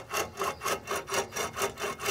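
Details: 2006 Toyota Prius, 205,000 miles, front hub with CV axle removed: dry, rough grinding rasp repeating about four times a second as the worn ball joint is twisted back and forth; a new one turns silently.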